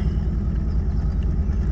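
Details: 1981 Toyota Tercel, carbureted, just jump-started from a dead battery and warming up: steady, deep, low rumble at idle with an even pulse and no knocks or stumbles; idling smoothly, though owner says it is sometimes hard to start.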